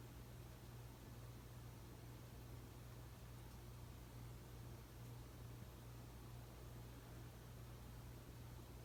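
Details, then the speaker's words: 52" Emerson Heat Fan ceiling fan dated September 1980, at minimum speed after bearing replacement and blade balancing: faint steady low hum under room hiss, no ticking, clicking or rubbing; normal low-speed running. "If you heard the noise in my last video of this fan, it's muted now. The two things I did to mute the noise is to replace the bearings and balance the fan."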